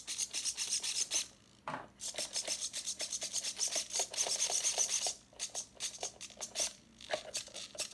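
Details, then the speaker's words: Vintage Sportwerks Chaos 1/16 nitro RC car (around 2006, about .05 engine), powered on after months on the shelf: fast, crisp buzzy servo sweeps several times a second, even with no stalling or grinding; original servos, throttle servo included, working normally. "I don't know if you guys can hear that but original servos look at the speed incredible speed look at the the throttle Servo here"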